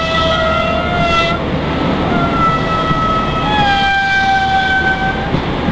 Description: IC125 pulls out of platform 5 Reading making a very strange noise.